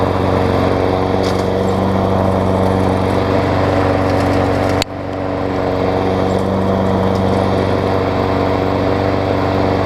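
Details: Toro self-propel mower, 6.5 hp Tecumseh, after new 22-inch blade: steady even drone with one brief dip midway, then settles; runs smoothly, no knocks.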